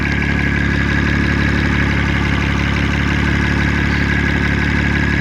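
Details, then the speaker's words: 2005 Honda Odyssey EX-L 3.5L with VTEC and VCM, warm after 20-minute road test, CEL for O2 sensor codes: steady even idle with light quick ticking on top; normal injector tick, not valve train. "A little bit of injector noise on the top, but nothing extraordinary. It's not on the valve train. That's definitely on the injectors."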